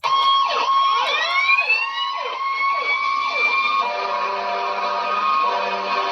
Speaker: the correct answer is to fire truck the siren is used along with the lig